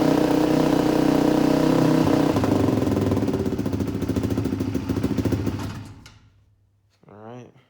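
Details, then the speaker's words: 2004 Polaris Predator 500 single-cylinder, cold start with a little choke after carburetor tuning and oil leak fix; fires right up and runs with a steady, even putter at fast idle before shutdown; healthy, may need slight tuning. "she still fires right up um might maybe tune a little bit more but glad to hear it run again"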